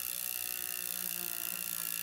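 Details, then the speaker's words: Wahoo Kickr v2 trainer flywheel spun by hand: a faint whirring hum whose pitch rises as the drive belt is tightened. The belt is then slackened about half a turn to reduce it. "hear that pitch change so what I'm going to do is make the belt a little bit slacker"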